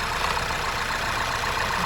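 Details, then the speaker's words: Skoda Superb 1.8 TSI petrol at idle after cam adjuster sensor wiring repair (had misfired, shaken, camshaft code): steady even idle, no shaking, fan off, slight internal engine noise; suspected timing cause; normal stable idle. "इजन भी एकम stable है थोड़ी आवाज है engine के अंदर थोड़ा आवाज है जो अब नॉर्मल साउंड है"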